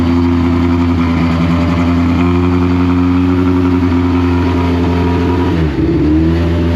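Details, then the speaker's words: Deep Orange 9 car, freshly rebuilt engine's first start, apparently running partly on starter fluid; held at a steady fast idle on the throttle, then sags and nearly stalls; won't idle on its own, possibly hot/cold map issue. "of course it won't idle uh anytime that you saw nobody in the car and it running at a consistent operating Point meant that the a brick was just on the gas"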